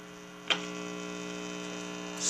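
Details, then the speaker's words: 1936 Philco 630B radio: steady low mains hum from a missing chassis ground; pressing the wire against the chassis reduces it. "now you can hear that hum now I'm going to go ahead and press on this wire right here up against the chassis and you'll see what happens"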